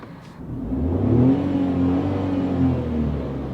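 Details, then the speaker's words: 2022 Tata Tiago iCNG bi-fuel hatchback just switched from petrol to CNG mode, heard from inside the cabin: smooth hum rising gently with revs, no knock or whine. "difference between petrol and CNG modes in terms of the engine NVH that you hear inside the cabin."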